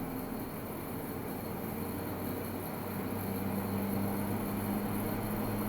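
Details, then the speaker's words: Midea U window air conditioner, 8000 BTU, at 108°F outside on cool low eco, drawing about 150–500 W and climbing. Steady compressor hum, louder than in cooler weather as it works harder. Normal compressor running. "It is actually quite a bit louder than it is when it's cooler outside, so I think it's definitely working harder."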